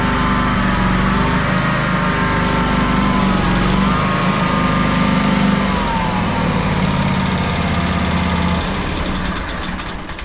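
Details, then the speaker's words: John Deere X350 mower, run on a little choke with an electric fuel pump in line, has an idle whose pitch drifts up and down every couple of seconds. It is a mild idle surge; the owner rules out the pulse fuel pump and suspects a fuel line obstruction. "Okay, it's got a little bit of surge into it. The only thing I know to do, I'm convinced that the fuel pump is not the issue."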